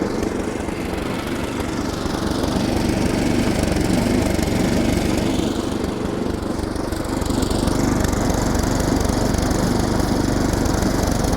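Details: Older Craftsman SnowKing snowblower revived with maintenance (new plug, fresh oil, Sea Foam, starter fluid into the intake). An even, steady engine drone holds speed with no misses, surging or hunting. Normal running.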